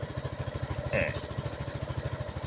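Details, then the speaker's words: Suzuki Jelato scooter after a no-start fix and a new battery: steady, even putter at about eleven beats a second at idle; charging reads 14 V at idle; normal idle. "ตอนนี้อยู่ในรอบเดินเบานะครับอยู่ในรอบเดินเบารอสักครู่นึง"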